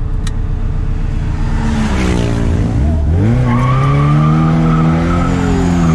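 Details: Chevette with supercharger (blower), second test drive after fixes; shrill squeal rising and falling with revs under hard throttle and boost, over engine roar; supercharger belt slipping.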